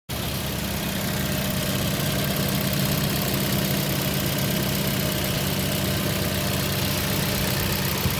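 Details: Toyota Yaris with the check engine light on and hard starting: a lumpy, uneven idle with an irregular stumble, like a cylinder dropping out now and then. The misfire's cause is suspected, not confirmed.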